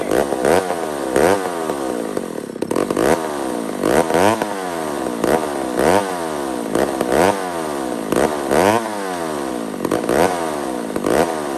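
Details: Old McCulloch 1-71 chainsaw after repair (carb rebuilt with jets from another carb, leaking fuel line zip-tied, intake double-gasketed at the leak): blipped about once a second, revs climbing and dropping cleanly with no bogging or stalling; running healthy.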